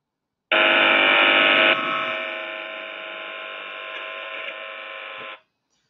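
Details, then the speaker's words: Partial discharge monitoring recording from a voltage transformer (VT) in a chamber: steady even electrical buzz with thin high tone, no crackling; classified as noise at 21 dB, magnetic noise from transforming electricity. Transformer magnetic hum. "so this is a sound that's produced by magnetic noise so this would have been listening to a vt and it's the sound that the vt is giving off as it's transforming electricity"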